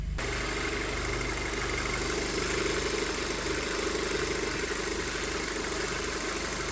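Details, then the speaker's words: 2007 Audi A4 2.0 FSI, 141K miles, after engine rebuild for low oil pressure: steady, even idle dropping below 1000 rpm, slightly high, no misfiring or stumble; normal idle, no check engine lights. "no more misfiring it's dropping down below a thousand rpm still a little bit higher revving than i'm used to but that's something that can be easily fixed"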